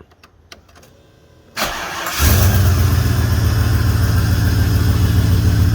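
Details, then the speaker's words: 5.0L engine first start after oil and filter change, belts fitted, before resonator install: a few clicks, starter catches, settles to steady deep fairly loud smooth idle; oil light goes off, so oil pressure good; normal start and idle. "All light on, now it's off, so we got pressure. pretty good as is, a bit loud."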